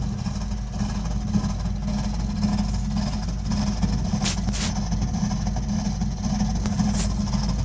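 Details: Burnham Alpine boiler with a continuing loud-noise problem: constant deep roaring rumble with a strong low drone and a few brief hisses; the burner runs abnormally loud, cause unknown.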